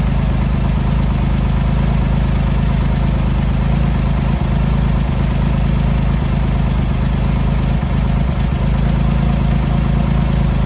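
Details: Triumph X75 Hurricane with freshly rebuilt, refitted carb rack, just kick-started cold on half choke, idling on throttle stop: low, lumpy tickover with irregular beat and dips, as if a cylinder misfires; pilot screws thought set 7/8 out, carb tuning/richening suspected needed.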